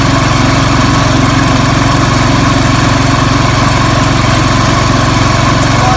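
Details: Circa 1975-80 IH Cub Cadet 1000 tractor, first revival start after sitting 20 years: steady, even thumping at fast idle, about three pulses a second, with a light mechanical rattle. It runs, though the carburetor appears to be leaking or flooding.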